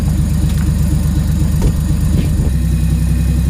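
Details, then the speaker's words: Nissan S13 with RB25 turbo engine (400hp build), first start after about five months: deep, loping idle with fairly steady beat, no whistle or rattle; turbo quiet; healthy. "that sucked idols like a [ __ ] dream okay so I thought it'd take a second to fire up sensors like the first time at like five months we got it running now fired right up"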